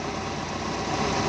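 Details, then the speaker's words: Daihatsu Hi-Jet van, 54,000 miles, unstarted about 6 years, booster-pack started, oil and timing belt unchecked: steady even idle with a light quick beat, no knocks or misses; normal idle. "Sounds sweet. She's done some mileage."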